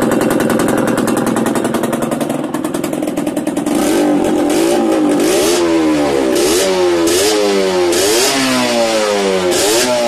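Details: Yamaha DTR 125 two-stroke with engine from a 2007 bike, first start after fitting unrestricted Gilera SC CDI, new seals, 240 main jet, powervalve fully open, Big One exhaust; crisp idle then clean blips sweeping up and back smoothly, no misfire or stumble: normal revving.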